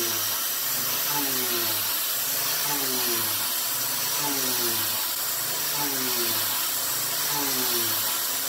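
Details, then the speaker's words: Milling with a 3/8-inch 3-flute YG1 end mill: cutting tone sags about every second and a half as the spindle bogs down under too wide a cut; a narrower width of cut is suggested. "all right well that was pretty darn quick actually you can definitely hear that the spindle was bogging down a little bit"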